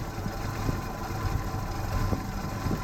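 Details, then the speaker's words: 1966 Chevy II Nova, 250 inline-6, idling and starting to run a little rougher with low, uneven, lumpy beats, though it clears out after a bit; timing likely a little advanced, runs rich, owner suspects carburetor. "you can tell she's starting to run a little rougher like I said it does clear out after a bit"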